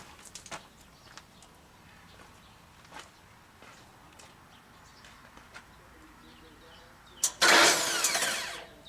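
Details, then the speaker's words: 1995 Genie Z45 started from the platform basket: quiet clicks, then about two seconds of cranking that never catches. The fuel pump gets only 0.9 V and doesn't run, a voltage drop; the pump circuit is suspected to have been hot-wired, bypassing the relay. ".9 volts. That's a problem. Fuel pump's not running."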